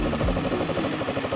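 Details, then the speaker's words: Honda Beat carbureted scooter after repair of seized engine from late oil change and white exhaust smoke: small single-cylinder ticking over at a steady even pulse, no knocks or rattles, engine case cool; smooth, healthy idle. "Halus, ya suaranya, ya. Oke, halus, ya."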